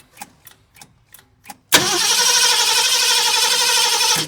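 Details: 1969 Ford Mustang, sat 30+ years, gas tank feed: even cranking at about four beats a second, then it roars two seconds on a primer shot and dies. Fuel starvation from the up-looped hose.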